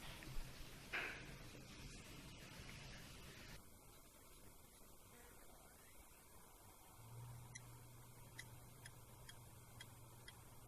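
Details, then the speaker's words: Laptop hard disk removed and connected via SATA-to-USB adapter to a working laptop: faint, sharp clicks roughly every half second over a low drive hum, the click of death from a mechanical failure; the disk needs replacing. "now since this hard disk is faulty we should be able to hear clicking noise just listen carefully now you can hear a sound"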